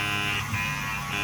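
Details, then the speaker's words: 2017 Chrysler Pacifica passenger-side window motor, switch actuated: a steady electric buzz with no gear load or clicking. The motor runs but the window doesn't move, meaning stripped internal gears; the motor needs replacing. "Again, I just actuate the switch. The motor is running, but the gears are not turning, which means it's internal."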